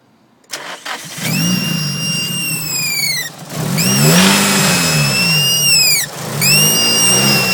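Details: Nissan SR20DET just after installing an ISIS intake manifold: piercing drill-like whine, like a supercharger, rising and falling sharply with revs; cause unknown.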